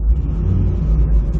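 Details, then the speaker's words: Corvette revived after being dead, back together with the battery tie-down in, probably over 14 volts and no check engine lights: a deep, even rumble that holds steady through the revs with no hesitation, running healthy. "engine's revving just fine. There's no hesitation."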